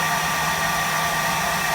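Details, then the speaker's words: Heat recovery ventilator in below-zero-F weather, loud steady fan roar with a thin whine as the fan labours against internal ice; it should be shut off to avoid burning up the motor, then defrosted. "This thing starts making all kinds of racket when it's really cold outside. You better shut it off or you'll burn up your motor."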